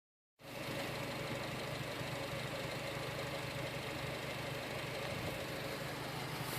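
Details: Honda Civic Si, warm, idling: the engine runs fine but idles rough, with uneven popping from the exhaust, a few pops each second; owner is unsure of the cause.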